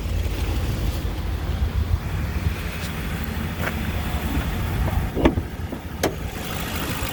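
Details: 2007 Ford Explorer 4.6 L V8, 115,000 km, heard under the hood: steady low rumble with an even beat, no knocks or ticks beyond brief handling clicks; smooth normal idle.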